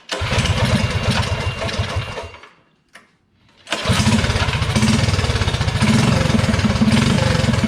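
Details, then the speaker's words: DuroMax 208 mini bike with VM22 Mikuni carb, after the needle clip was moved down one slot to richen the mixture: putter drops out, restarts and picks up revs cleanly, no stumble; tip-in hesitation gone, throttle response crisp. "does so that definitely helped it out it has no more tipin throttle response hesitation so it needed to be riched up just a little bit with the slide here with the needle"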